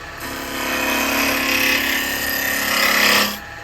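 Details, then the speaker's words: 9 in spalted-wood vase blank between centers on the lathe at just over 2,000 RPM. An even, steady hiss of tool on wood for about three seconds with no chatter or catches; a clean cut with no pressure on tool or wood. "right so you can see straight away the difference the speed makes to The Cutting the Tool's not under any pressure the wood's not under any pressure"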